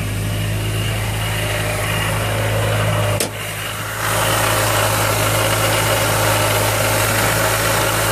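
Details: Miata with an M45 Jackson Racing supercharger at idle: a steady whirring drone and hum from the blower with no speed change; possibly bad supercharger bearings, not confirmed.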